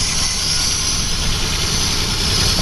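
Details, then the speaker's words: Plow truck petrol engine at rough, missing idle after a temporary rubber fuel line repair; steady airy hiss under the hood from a suspected cracked vacuum hose near the intake sensor, and it runs better when the hose is pulled up; owner suspects a crack underneath. "I'm betting there's a crack underneath here somewhere if I can find it I'll tape it up it's definitely got a vacuum leak you can hear it as I pull up on harder it runs better"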